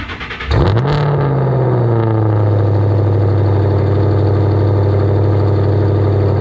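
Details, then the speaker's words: Ford GT500, about 700 wheel horsepower, first startup after cats removed (catless exhaust, Kooks X pipe), just lowered off jack stands: crank, sharp flare-up settling into a loud, steady low drone; clean startup and even idle. "And well, you're about to hear the first startup with a catless exhaust. Should be pretty good."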